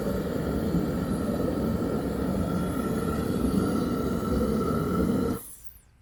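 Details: Teleflex MBU V3 military burner on diesel, refired after boiling 2 gallons of water in under 10 minutes on under one amp hour: steady even roar for five seconds, then clean cutoff, no sputtering; normal running.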